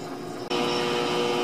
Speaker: to that transformer hum obviously I can't open that box because doing so would be incredibly dangerous actually surprised that box is an interlocked but it's funny you can actually hear the hum changed slightly as the modulation hits